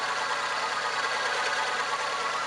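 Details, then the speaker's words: VW Polo engine revved after replacing the V and Poly V (6PK1153) alternator belts: smooth steady running with no belt vibration, squeal, chirp or slipping; normal belt drive. "Vemos que lo aceleramos y no escuchamos una vibración de las correas, ni un patinamiento, ni nada por el estilo. Entonces con eso podemos darnos la idea de que está bien."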